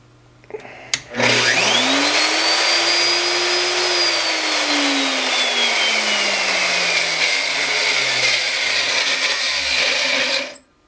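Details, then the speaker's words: Router, one of two free for-parts tools used on Corian countertops (dust suspected in brushes and armature), run before disassembly: high thin squeal above the motor whine, rising with speed and stopping hard; bearings suspected. "you can hear it actually does run but it sounds awful it's helped squeaky this stops hard so something is wrong with the bearings inside"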